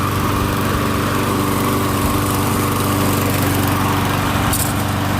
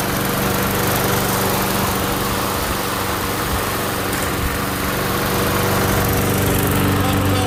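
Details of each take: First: MTD Gold mower, Briggs & Stratton Quantum engine, after repair: harsh, loud steady exhaust blat at constant speed, rougher than normal; muffler only partly refitted because its mounting bolt was broken. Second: MTD Gold self-propelled mower with Briggs & Stratton Quantum engine, primed and started outdoors after pull-rope repair: steady, even single-cylinder beat, no misses or surging; runs properly, self-propel intermittent, stripped front wheels suspected.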